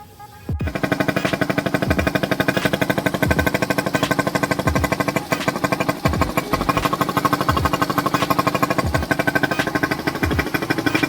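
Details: Yamaha SZ-R 150 motorcycle that would not start after long storage, now idling after carburetor cleaning of dirty fuel residue and water. Quick, even single-cylinder putter with no misses or stumbles; the engine idles cleanly.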